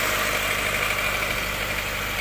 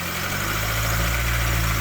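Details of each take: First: Proton Wira with a charging complaint, idling after the crank pulley was marked: a thin, high whir over the engine; the marks show the main pulley damper's outer ring has slipped, a faulty crankshaft pulley. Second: Proton Wira with an intermittent charging fault; crank pulley marks unchanged and charging coming in, battery weak: smooth, low, even idle with no misses, rattles or belt squeal; normal idle.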